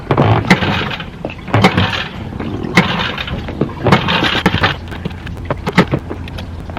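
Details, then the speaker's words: Boat outboard motor just mounted on the stern; several ragged pull-cord rips and it never catches, owner unsure if flooded; later started by working choke and throttle. Engine fails to start. "Like I said, this is just not my day. So this might be challenge number 2 after the fridge, is figure out how this thing, I don't know if it's flooded or if it's..."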